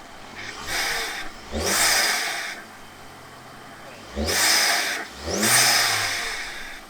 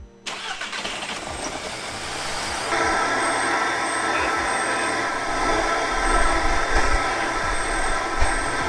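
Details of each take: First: 2006 Audi A3, 183,000 miles, after a part refitted to stop stumbling with the dipstick pulled: four crisp throttle blips rising and falling cleanly back to idle, no stumble or misfire; improved throttle response. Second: Audi A3 engine, 183,000 miles, fitted with the wrong PCV/oil separator part: it cranks, catches and settles into an uneven, lumpy run with a hiss. This is rough running from a crankcase vacuum leak caused by the incorrect PCV part.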